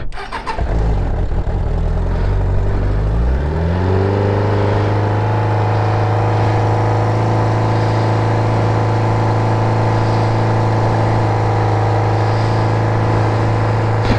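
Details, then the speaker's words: Motorcycle started after exhaust work, with an exhaust bolt hole not lining up: starter churns, engine catches into a steady, fairly muted idle with a faint puffing air escape at the pipe, an exhaust leak; also blowing a lot of smoke. "There is a little bit of... a little bit of air escaping. Hate that exhaust leak."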